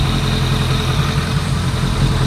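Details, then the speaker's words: 2001 Kawasaki ZRX1200R, CVK carbs being synchronized and tuned, warmed up, all four cylinders firing: smooth even sewing-machine idle, no misses or knocks; normal idle. "Wow, that's really got a sewing machine sound to it now. We're very close."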